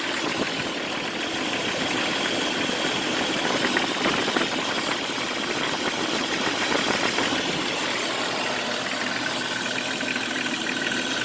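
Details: Jeep Cherokee XJ petrol engine at idle: busy metallic rattle or knock with hissing over the steady run; owner also reports a scraping metal noise near the power steering pump area.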